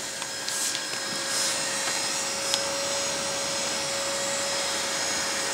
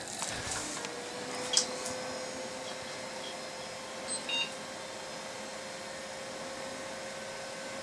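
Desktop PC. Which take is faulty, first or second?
first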